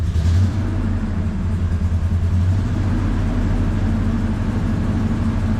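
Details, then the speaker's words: Ford 5.4 V8 truck just after engine repair: deep rumble wavering and stumbling unevenly, not running 100% but much better than before; owner suspects air in the fuel system. "it's not quite running 100% it's running a heck of a lot better than it did"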